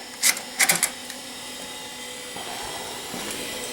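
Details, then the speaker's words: Acer 900 286 vintage computer, floppy drive attempting to boot after disk boot failure: sharp irregular clattering seek ticks over faint hum; owner suspects the floppy drive may still be bad. "well that doesn't sound very good so I don't know you might still have a bad floppy drive"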